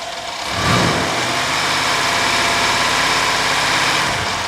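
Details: Mercedes CLS AMG with intermittent crankshaft position sensor 1 fault (sensor replaced twice, ECU replaced), stalling and rough running: smooth at idle, but under full throttle revs rise then hang flat near 2000 rpm and drop back; cause unknown.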